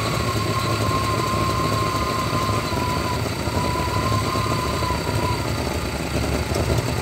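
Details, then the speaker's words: 1993 GMC C1500 with a 5.7 V8, rough idle that lopes, surges and nearly dies; the O2 sensor is stuck rich, fuel trims pull fuel away, and the truck also cuts out under load; a bad O2 sensor is blamed. "okay you can really see those fuel trims pulling that gas away and then it surges down then it lets more gas and it comes back up so this is all caused by bat O2 sensor is what's going on here"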